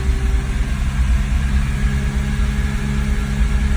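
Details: 2001 BMW E46 330Ci, warm, MAF unplugged, foot to the floor: low steady drone barely climbing, won't pass 3000 RPM; idle high and bouncing, little power, cats red hot; owner guesses fuel or oil getting in.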